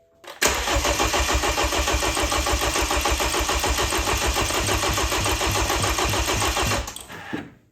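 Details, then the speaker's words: Freshly rebuilt BMW N20 in a 328i, cranking with fuses pulled to prime oil before first start; strong, even cranking beats about three and a half per second, no weak strokes, lots of compression; normal cranking compression. "Okay, well, that sounds healthy. Lots of compression."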